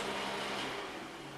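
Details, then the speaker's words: GTX 760 graphics card after overheating repair, fan turned down to about 50%, around 2,000 rpm: a smooth, steady whoosh with a soft even hum and no rattle or ticking. Normal fan running, quieter than at full speed. "there we go that sounds better it's about 2,000 rpm then where I'd say six degrees I would say this definitely fixed it"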